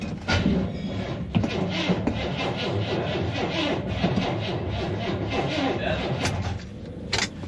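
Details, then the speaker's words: 1979 Chevy C10 found abandoned in a storage unit, cold weather, after a few minutes on a booster pack and two pumps of gas; sluggish, labouring crank that never speeds up or fires; the battery is dead. "unfortunately the battery is dead and I'm not equipped enough in the middle and no here to charge it"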